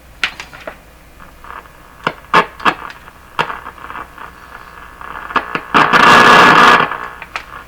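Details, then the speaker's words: Hallicrafters TW2000 World Wide radio, power supply filter capacitors suspected bad, volume full on shortwave with antenna connected; hiss, sharp crackles and loud static rush: noise pickup through antenna. "it brings in a lot of noise too of course I think it's really really hopeful if you're like me I can hear voices and those sounds sometimes"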